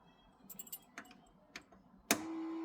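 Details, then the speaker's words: Custom 1962 VW Beetle, air-cooled, electronic points, just refilled with oil, filter and gas: a few clicks then a steady high-pitched buzz of the switched electric fuel pump priming; running normally. "We just finished up, so here you'll hear the electric fuel pump."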